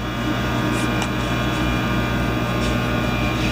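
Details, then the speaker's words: AC buzz-box welder (adjustable AC transformer), 3/32 rod, switched on to weld a gap: loud steady transformer buzz with no arc crackle because the ground clamp was not connected (belongs on the vise bottom). "Now, this is an AC welder, so as soon as I turn it on, you'll hear a heavy buzz, and that's why they call them a buzz box, because it's strictly an adjustable AC transformer."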